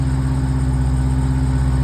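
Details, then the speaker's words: 2023 Dodge Durango SRT Hellcat, 710 hp, started right after a DIY oil change with 8 quarts, run briefly to push oil into the pan and cooler before rechecking the dipstick: deep, steady, even V8 rumble at idle, no knocks or misses; normal idle. "All right, we got her started. We got this puppy running good."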